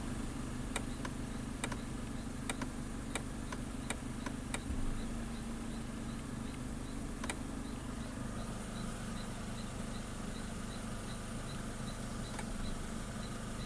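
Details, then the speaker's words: Mitsubishi Lancer with code C1000, losing power and acceleration, brake switch glitching on its own: sharp clicks about once a second over a low steady idle hum, then dying away, loud from the shifter area; cause suspected, not confirmed. "they say they replace the brake switch it was actually something real loud coming from here"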